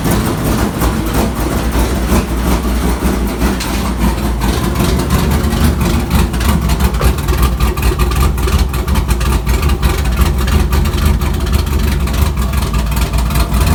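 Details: 1999 GMC Sierra LS 6.0 with Hi Ram intake and VS Racing 7875 turbo, base tune from Sloppy Mechanics: deep lumpy idle surging and stumbling unevenly; rough idle from untuned idle calibration, a problem even before the turbo.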